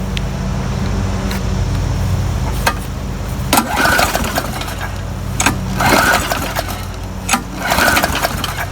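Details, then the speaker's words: Murray lawn mower, tank filled by someone else, around 70 degrees: several pull-start cranks, each a short whirring burst that never catches; fuel found to be about half water, stopping it from starting. "it's actually about half water so that's why i wasn't starting"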